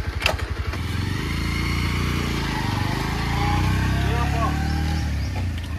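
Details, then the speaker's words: Bajaj Pulsar 125 after draining fuel from the line (owner suspects fuel was the cause of stalling): a few firing pulses, then smooth steady thump with no stumbling or stalling; running normally, problem solved. "আৰু finally guys আমাৰ বাইকৰ problem পুৰা solve হৈ গ'লগে এতিয়া বাৰু ধুনীয়াকৈ চলাই গৈ চাইছিলো প্ৰবলেম বাৰু একো কৰা নাই"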